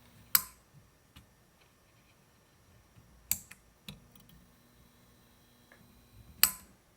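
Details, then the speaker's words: F6T5 preheat fluorescent fixture after swapping a defective lamp, mic near fixture: few sharp starter clicks, then faint steady hum as tube strikes, little blinking as ballast likely overdrives it; normal preheat start. "This is an epic light. It's not very blink happy because the ballast probably overdrives it."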